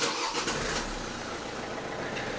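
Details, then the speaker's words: Low-mileage diesel Vauxhall/Opel Zafira with recurring flat battery, two batteries in 18 months: short crank, catches at once, even idle; easy start, but 14.3 V at alternator versus 13.7 V at battery shows voltage lost somewhere. "no trouble starting there we're not charging just yet so we're up to 14.3 at the alter and only 13.7 at the car"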